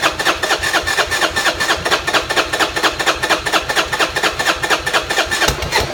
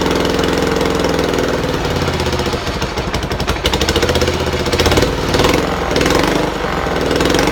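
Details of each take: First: Buell Blast, before a manual choke cable was fitted (auto enricher not working): the starter cranks steadily at about two compression pulses a second but never catches; it won't start without a choke or starter fluid. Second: Buell Blast single-cylinder running after a shot of starting fluid through a drilled intake hole, auto enricher not working: steady even beat, smooth idle without stumbles or misses; runs cleanly.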